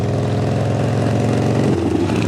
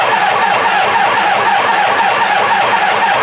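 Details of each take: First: 1975 Harley-Davidson FLH Shovelhead revived after long storage, with the rear cylinder lifters readjusted after bleeding down; even, loping V-twin idle with steady low thump and no rocker clatter; healthy. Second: Rattling front exhaust pipe on a 1975 Harley-Davidson FLH Shovelhead, first start after revival with points ignition and a temporary fuel jug; loud uneven V-twin idle with a tinny rattle over the beat, smoky, oil on the pipes.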